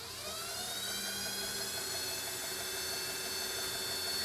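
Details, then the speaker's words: EV West electric motor accessory plate driving power steering pump, vacuum pump and AC compressor (not engaged), first power-up after installation: quiet, steady high-pitched whir, vacuum and steering silent, no knocks or grinding; normal running. "the vacuum as you can hear is pretty much dead silent and the power steering is [Music] silent"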